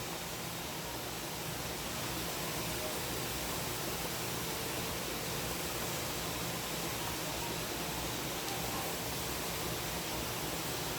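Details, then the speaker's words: Pressure canner processing carrots during heat-up before the piece pops up: a steady stream of steam gives a steady hiss with no sputter or rattle; normal venting as pressure builds toward ten pounds. "I was gonna say if we go watch it it's getting a steady stream of steam coming out of it"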